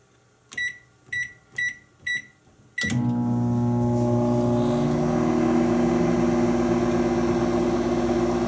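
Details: Existing kitchen microwave heating a thermometer in water for 1:30 as comparison test: four short even beeps, then a steady low hum with fan rush, smooth and unbroken; running normally.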